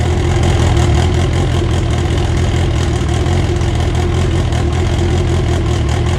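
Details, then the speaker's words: First start of an AWD EG build on a borrowed 2000cc-injector tune with the same MAP sensor and cam trigger: deep, steady, even-firing idle with no ticking or knocking over the exhaust rumble, running pretty good; normal idle. "alright guys well there you have it the car officially runs uh it runs pretty good um it's just on a tune from my car actually"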